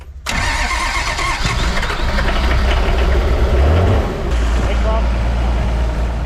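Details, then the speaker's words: HJ47 diesel, cold, with only one or two of six glow plugs working after a set failed quickly: long, heavy cranking with one cylinder trying to fire but never running. Hard cold start from failed glow plugs. "I think I've still got uh one to two glow plugs working out of six so you can hear that one one trying to fire"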